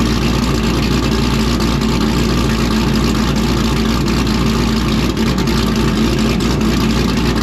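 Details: V8 with a little blower cam, after a fresh tune flash: a deep, steady idle with a slight rhythmic lope and no ticking or misses; a healthy idle that drops in out of gear nicely.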